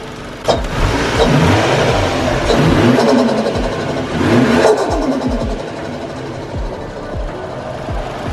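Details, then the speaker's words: Toyota JZX100 Mark II turbo, warmed up 11 minutes, before oil change: sharp rev blips falling back to smooth idle, fluttering chatter as throttle snaps shut; normal turbo flutter. "once the mark ii is nice and warmed up i'll go ahead and show you guys the turbo flutter noise"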